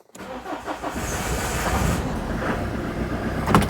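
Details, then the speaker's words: Citroen GSA with air-cooled flat-four engine, parked up a long time, mild weather: slow labouring crank for a couple of seconds before it reluctantly catches and settles into a lumpy, smoky idle; hard starting. "so let's see if she starts any better when it's a bit milder not holding my breath"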